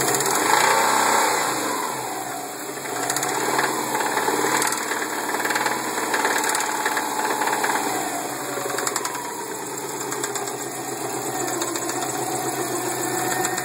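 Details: 2002 Subaru WRX at idle: a deep, rhythmic knock at about four beats a second under the engine note. Rod knock from a spun bearing.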